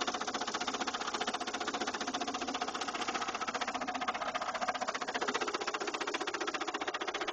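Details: 2000 Saturn LS2 at idle: a sharp, steady internal knock about two and a half per second; the noise appeared suddenly one day and the owner fears the engine is a lost cause.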